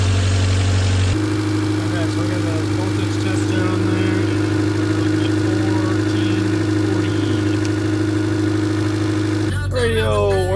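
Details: 1989 Honda Civic EF sedan four-cylinder idling just after its first start from non-running; even hum, no stumbles or rattles; owner suspects a bad alternator; normal idle.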